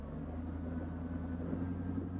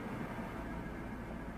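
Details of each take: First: 2004 Chevy Tahoe with P0300 random misfire and stumbling at idle, brake torque test in Drive: steady, even low drone with no misfire, though a faint arc from a spark plug wire is still heard. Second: 2004 Chevy Tahoe V8 with code P0300, brake torque test in drive: rumbles low and uneven with irregular stumbles, a misfire under load suspected from spark arcing.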